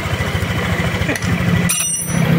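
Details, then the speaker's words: Motorcycle idling after replacing rough, noisy bearings: steady low even idle with regular firing pulses, no knocking or rumble; noise gone, fixed. A tune-up still needed to stop stalling. "Ayan, wala na yung ingay ano. Okay na."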